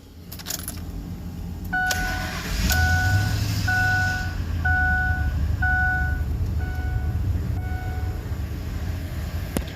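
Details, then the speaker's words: 2004 Lincoln Navigator idling after 5/8 coolant hose replacement and about 2 gallons of antifreeze refill, warming up before thermostat opens: quiet, steady low idle with no stumble under a door chime and key rattle; not misfiring, normal idle. "It's running good. Ain't misfiring."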